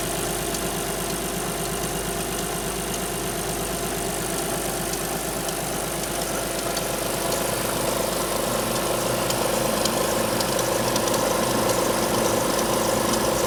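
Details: Alfa Romeo 156 V6 in for timing belt replacement, cold start: cold idle with steady ticking about twice a second plus a separate rattle; two distinct abnormal noises heard only cold, not noticed warm on arrival, cause unknown.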